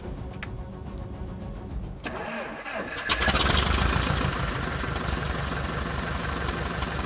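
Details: Kit plane engine not run in over 14 years, first start after months of work: quiet, then catches after a couple of seconds and settles into steady, even running with strong prop roar, no misses; good oil pressure, no fuel pressure shown; normal start.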